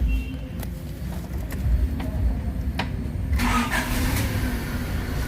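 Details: Honda City 2000, stalled intermittently while driving: after repairing a shorted RPM signal wire running to the meter, engine stays running with steady drone and slight rev rise, no stumble or cut-out; runs normally.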